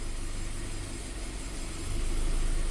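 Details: 2015 Scion FR-S (Subaru BRZ), 2.0 L direct-injected boxer, code P000A, low power and stumble; commanding bank 1 intake cam angle makes a steady idle rise and fall, lumpy and rough; VVT angle oscillating, cam solenoid suspected.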